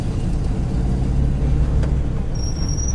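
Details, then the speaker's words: 1965 Ford F100 pickup, engine running while truck slows: thin high brake squeal for about a second over engine rumble; owner says brakes squeak briefly until fluids get moving, then stop; cause not confirmed. "yeah, you can hear the brakes squeak for a little bit until you get some juices moving around in there, but you step on them, they stop eventually."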